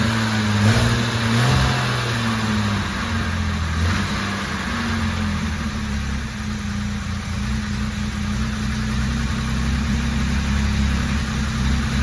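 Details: Jaguar E-type Series 2 on its first start after a complete rebuild, oil and coolant topped up and fuel pumps priming the carburettors. The engine catches and runs fairly steady on choke with a few throttle blips, no knocks or rattles over the exhaust.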